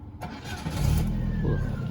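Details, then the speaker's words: Used automatic Ford at a junkyard, engine started with the key: quick crank, catches right away and settles into a low, smooth, even idle with no knocks or misses; sounds healthy. "Suaranya masih halus ya. Tuh, suaranya masih oke."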